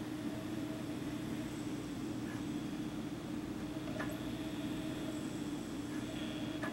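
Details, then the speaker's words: Japanese Sega Saturn Model 1: low motor hum with a faint click every couple of seconds as the drive spins the disc and keeps retrying but never loads; access light blinking; not reading discs. "it just sounds like he keeps trying but it's not going through"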